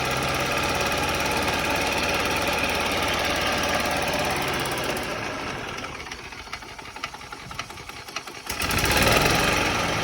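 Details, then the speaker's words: Yamaha golf cart that sat 6–7 years, on jumper cables from a truck with choke on and very stale fuel: small single fires up and runs at a quick steady beat for several seconds, then tapers off. Normal running. "Okay, that's pretty good, especially with some really stale fuel."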